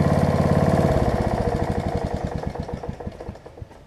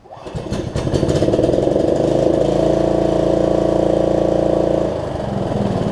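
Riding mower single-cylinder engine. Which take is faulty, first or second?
second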